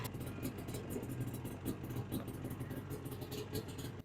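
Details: 1995 Ski-Doo Formula S 380 fan-cooled two-stroke that hadn't run in a year or so: a rough, busy buzz holds steady and pulls cleanly without stumbling, then drops away; it runs normally with the carbs feeding properly.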